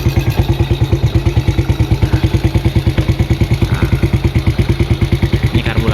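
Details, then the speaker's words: Yamaha Vega ZR, unused 3 years, old carburetor internals gummed with stale fuel, just fitted with new NPP aftermarket carb on stock settings: starts right away, steady even single-cylinder idle, no stumbling; now accepts throttle, confirming the old carb was the fault. "Kita coba hidupin. Oke, langsung normal ya."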